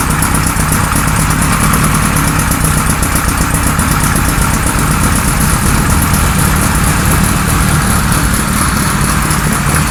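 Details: 1978 Kawasaki Z1-R four-cylinder with replacement carbs fitted (ran well on the other carbs), engine warming: steady but lumpy idle with heavy, muffled exhaust; can't get vacuum to sync carbs.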